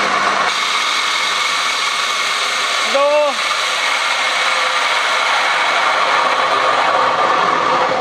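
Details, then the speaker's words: 2014 BMW F10 520d xDrive with 140,208 km: a loud, steady whirring roar, louder from about 30–40 km/h, reproduced by spinning the wheels with the throttle pressed. The rear differential is failing and its oil shows metal particles. "사람이 위에 올라타서 악셀을 밟아보고 실제 주행과 비슷하게 바퀴를 회전시켜보면 영상에 녹음이 아마 됐을 거예요이 정도 소음이라면 오이를 한번 상태를 확인해 보고 결정을 내려야 될 것 같아요"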